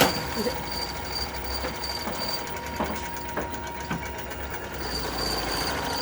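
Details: Sewing machine: steady high mechanical whir with irregular sharp ticks about every half second; abnormal running knock, cause not pinned down.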